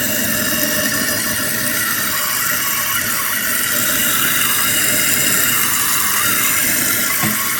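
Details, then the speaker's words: Toilet tank refilling through a newly installed fill valve and flapper after the water is turned back on; a steady hissing rush with a faint high squeal, holding even throughout. Normal refill. "All right, so up here it's filling up. We're gonna see where it stops at."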